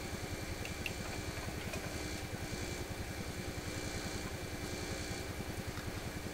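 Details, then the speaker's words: PYE 39HC shortwave receiver during a bass-response capacitor change: a low rhythmic thumping at about two beats a second under hiss. The open-ended added capacitor on the amplifier audio input acts as a noise antenna and should quiet once attached. "Oh, I think this thing is probably, since it's right on the audio input to the amplifier, this is acting now like a noise antenna."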